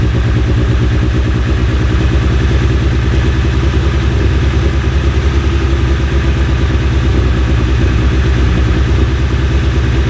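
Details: Fully built Mitsubishi Evo X first start after new cams and AMS fuel rail: throttle held, engine chugs with an uneven, lumpy beat, running very rich (about 10 AFR) and won't idle alone; owner unsure whether fuel rail or flooding is the cause.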